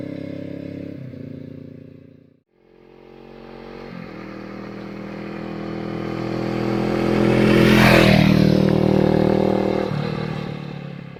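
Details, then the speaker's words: Suzuki GS500 scrambler with new aluminium slip-on exhaust with fiberglass packing, replacing a too-loud one, riding flyby: note swells then fades with a smooth even beat, no popping or rattle; much quieter, sounds good. "noying but it's still still way quieter than it was sounds good very happy with it"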